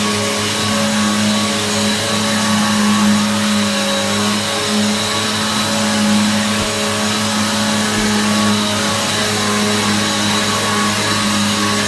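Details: Hoover vacuum cleaner after repair, switched back on: even, steady motor roar with constant mid hum and airy hiss, no rubbing or rattle; very loud, likened to a Hoover Pure Power; motor and fan running healthy.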